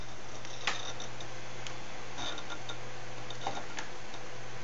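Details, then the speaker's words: Raptor hard drive in a cheap HTPC booting Media Center: irregular sharp ticks and clicks over a steady low hum, loud seeking noise. "it's just too loud you can hear it's sort of like seeking on dis and that is kind of an issue for me"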